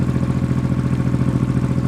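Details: Honda XRV750 Africa Twin (RD07) V-twin just after engine rebuild, carbs not yet synchronized, one cylinder a bit lean: steady lumpy idle of about sixteen even pulses a second with no knock or rattle; healthy.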